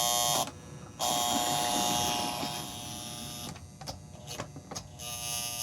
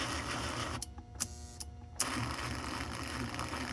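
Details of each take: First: 1955-57 American Flyer 372 Union Pacific GP7 locomotive, on power before any servicing, earlier would not move at all: thin electric buzz cutting in and out in stutters. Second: 1955-57 American Flyer 372 Union Pacific GP7 locomotive, motor not yet cleaned or lubricated, reverse unit now flipping each time: small electric motor whirs steadily, brief pause and clicks as it reverses; runs in both directions.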